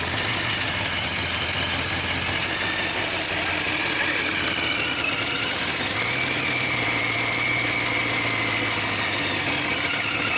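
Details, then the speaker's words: Car at idle just after exhaust work, before timing set: harsh, raspy idle with sharp puffing, sounding almost like no exhaust; leak at the header flange, where the upper flange touches the header flange, probably unevenly; an H-pipe is to be ordered. "What in the hell? Why does it sound like that? Sounded like there ain't no exhaust on it."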